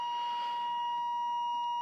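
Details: Free Chevy Silverado 1500 with a rusted, failing engine (lots of metal found in oil at change, reading about 20 psi oil pressure) at startup: steady high-pitched electronic tone for two seconds in quiet cab, the dash low oil pressure warning chime.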